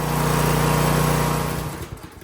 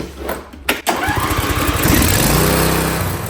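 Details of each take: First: Briggs & Stratton V-twin on a John Deere mower (LA165/LA135 type), after bending the governor tab to fix a high idle: smooth, steady full-throttle hum at the target 36 on the tachometer, then revs wind down; normal governed full speed. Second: John Deere (LA165/LA135 type) Briggs & Stratton V-twin at full throttle, tachometer check: starts and drones steadily at high fast revs, way overspeed; high idle, tab then bent in to correct.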